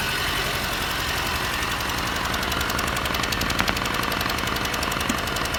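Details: 2022 Mercedes Sprinter M274, 237k km, misfiring cylinder 3: uneven loping idle with an irregular stumble and ticking. Cylinder 3 compression is 90–120 psi cold and 60–90 warm vs 140–150 for the others; spark confirmed good.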